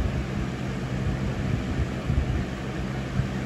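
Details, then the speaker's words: 2000–01 Lasko box fan model 3733 on medium speed; even, steady whoosh with a low blade hum holding constant, no rattle or wobble; running normally. "Back to medium. Yeah, it actually sounds like a regular medium."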